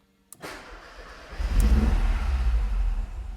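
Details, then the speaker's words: Ford XR3i engine at idle after an oil additive meant to quiet it: cranks, catches and settles into idle, with a light, quick top-end ticking still present and unchanged. Owner suspects the hydraulic tappets need replacing. "Honnêtement, j'hallucine. Le bruit n'a clairement pas changé. Du coup, soit c'est de la merde ou soit faut que je change mes poussoirs."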